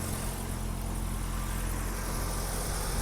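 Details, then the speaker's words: 1984 BMW 318i E30 after sitting four years, new battery fitted: steady even low idle with no misses or knocks; replacing the battery fixed the idle, charging voltage present. "oh she is purring like a kitten folks this is such a cool car"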